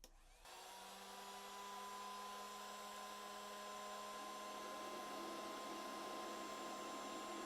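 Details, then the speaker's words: BougeRV 2000W 12V pure sine inverter after a heat gun load: the cooling fans spin up and hold a steady whir with a low hum, normal cooling. Output voltage sagged from 120 to about 114 V under load. "as you can hear the inverter fans are still on it's trying to cool itself back off"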